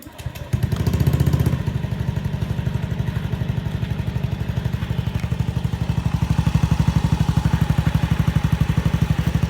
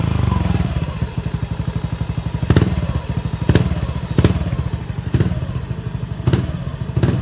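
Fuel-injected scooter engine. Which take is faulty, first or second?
first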